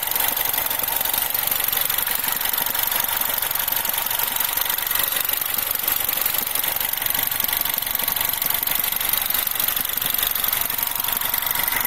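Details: R56 Mini, warmed up, at idle: constant fast, tinny metallic rattle riding over the engine; timing chain noise.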